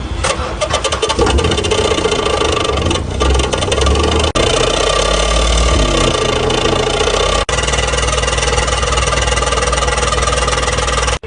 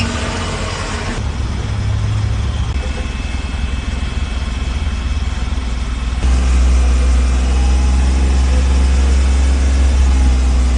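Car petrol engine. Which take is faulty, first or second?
first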